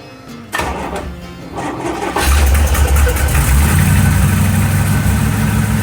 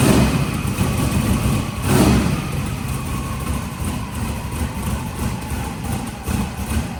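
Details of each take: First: 1955 car ('55), first start since engine reinstalled: cranks, catches, lumpy idle with sharp raspy puffing tick at each pulse; suspected hole in a header tube causing exhaust leak, not confirmed. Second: Turbocharged engine on a shop start. There is a steady, rumbling, even idle with no knocks or misses. It always smokes from one side, and the owner is unsure whether this is residue from the turbo or header. The idle is normal.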